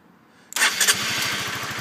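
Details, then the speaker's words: 2011 Honda CBR125 after a valve job: the engine catches and runs with a quick, even putter only while the switch is wiggled; three pins in its connector are corroded green; wiggling fires the fuel pump; intermittent starting from the corroded connector. "But if I wiggle this switch around, it will fire up the fuel pump."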